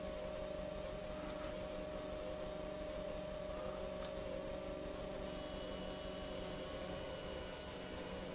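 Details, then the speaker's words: Tasty Chips ECR-1 module with a signal-to-noise problem: steady hiss and hum, then high whining tones when the screen is switched on via the controller; noise stays audible with wet turned fully off. Finding: digital noise from display interference. "basically there's a signal to noise ratio issue now if i actually let's leave this turned up so you guys can just listen to wonderful digital noise right now um if i turn the screen on just by mucking around with this controller listen to how noisy this gets"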